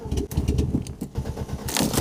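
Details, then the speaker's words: Old car driven on the road, engine limping on only three cylinders: uneven, stumbling low chuffing with dropouts, a misfire. The cause was found to be a broken spark plug wire. "Mesinnya sekarang benar-benar pincang. Cuma jalan dengan 3 silinder."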